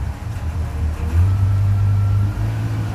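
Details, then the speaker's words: Subaru 360 van two-stroke, choke on after flooding: picks up cleanly to steady buzzing drone and drops back evenly, no bog; much better throttle response, idle set too high. "much better throttle response now the idle's probably way too high because it was flooding over"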